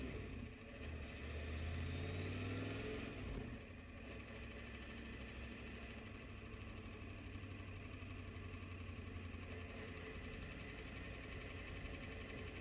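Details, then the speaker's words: Diesel truck with a newly installed ZF5 manual transmission, idling at a stop sign: a steady low clatter of about three to four a second rides on the idle, severe gear rollover rattle from the gearbox. "Y'all are in for a treat when I hit the stop sign because You're gonna hear the worst gear rollover noise you'll ever hear in your life."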